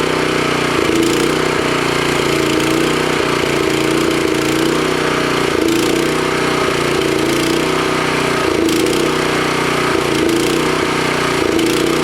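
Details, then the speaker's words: Toro Power Clear 621E snowblower with 163cc OHV four-stroke on an external fuel tank, no primer line: idle rises and falls about every 1.5 seconds. Surging idle, likely fuel delivery; owner suspects another new carburettor is needed. "oh my key works anyway yeah still surging ah damn another new carb i guess you"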